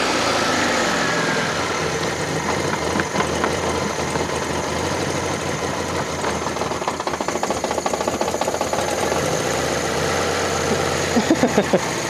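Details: Fiat Panda 4x4 Sisley with FIRE engine, cold start on manual choke right after water pump replacement; choke pulled out further, it idles fast and fairly evenly with light valve ticking, no misfire or hunting; runs fine.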